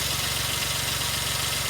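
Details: 2003 Suzuki Jimny JB23W with K6A engine, after water pump replacement: the small engine ticks over at a steady, even pulse with no knocks or rattles. The idle is smooth and normal.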